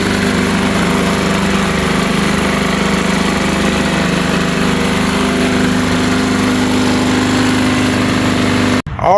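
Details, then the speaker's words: Briggs & Stratton engine on a 21-inch push mower that ran without an air filter, pulling debris through the carb, started after carb cleaning. Loud, harsh, uneven hammering; loose motor bolts were suspected but not found, and a worn, likely unbalanced blade is suspected. "right it started it didn't sound good I don't know if we got some loose motor bolts"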